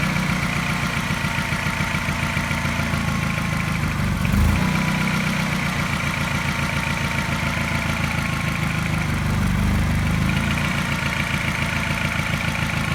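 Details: Mini with N12 engine, partly warmed with a fast idle that had been smooth: suddenly a light quick tap that coincides with a regular slight misfire. Cause unknown.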